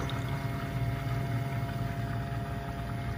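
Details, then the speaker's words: BMW 135i E82 N54 after CSF radiator and intercooler install and coolant flush, ignition on engine off, throttle held 10 s to start bleed: electric water pump runs with steady low hum and gurgling coolant, normal. "so now you can hear the water pump starting so they'll start doing this bleep process"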